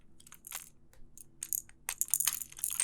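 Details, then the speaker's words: Master Lock 410 LOTO padlock that has been rattled: irregular bursts of bright metallic rattling as it is shaken, loose key pins tumbling inside the core. "you can hear the key pins rattling around inside of there"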